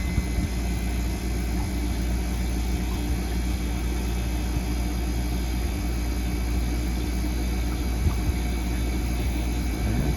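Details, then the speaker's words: Ice-O-Matic ice machine after replacing faulty fan cycle switch (condenser fan hadn't run, compressor tripped on high pressure): at 250 psi switch clicks and condenser fan spins; steady low hum with constant airy fan rush, running normally. "click and fan is spinning can't really see it but it is definitely spinning so that is a successful change out"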